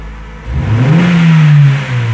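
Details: Fiat Strada 1.8 E.torQ after camshaft phase sensor replacement (fault P0340, no power, would not pass 3,500 rpm). A quick blip from idle rises cleanly to a strong, even roar and drops back smoothly with no hesitation or cutoff.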